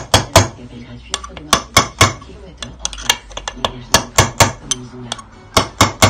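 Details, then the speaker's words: Yamaha YZ125 bottom-end rebuild: a bearing tapped into the case with a drift gives sharp, full metallic taps about once a second; a full ring means the bearing is fully seated, a hollow sound would mean it isn't. "Quand vous entendez que ça sonne creux, c'est que vous n'êtes pas embuté. Quand vous entendez que là, ça sonne plein, c'est que c'est embuté, donc c'est bon."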